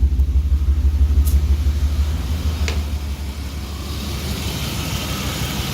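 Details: Warm BMW E36 six-cylinder idling during a plug and coil swap test between cylinders: uneven, lumpy pulse about three times a second that doesn't settle; misfire, cause still unknown.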